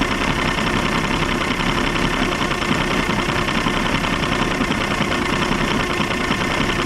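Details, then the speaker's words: 1989 Evinrude 150 hp two-stroke outboard at about 1200 rpm, running loud and rough with slight hesitation and occasional pops; a fuel issue, with old bad gas found in the motor. "Still kind of hear a little hesitation. Hear it popping. That's definitely a fuel issue. They were running that old gas out of there or something."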